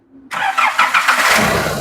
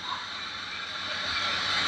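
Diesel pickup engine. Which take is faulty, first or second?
second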